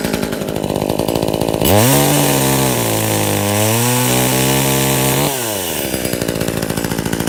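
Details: Brand-new Tanaka 14" top-handle chainsaw on its first run, fuelled with 89 gas mixed with two-stroke oil. Clean idle rises smoothly to full revs, the pitch sags evenly in the cut and recovers; healthy, crisp-running saw.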